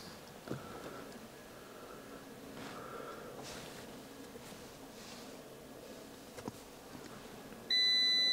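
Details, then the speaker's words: Fiat 500 (Cat N Sport), right after its odometer was adjusted to 71,778 miles with a diagnostic tool: a thin high chirp repeats, then becomes a loud steady seatbelt warning tone that eventually stops on its own. "It always does this seatbelt thing for some reason when you do this, don't know why."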